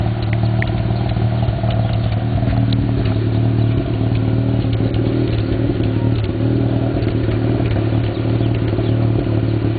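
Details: 1991 Mazda RX-7 (S5) NA street-port rotary with headers and possibly Racing Beat cat-back: lumpy idle, strong low drone with scattered sharp pops and crackles; afterburn popping at idle, owner doubts vacuum leak, cause unclear.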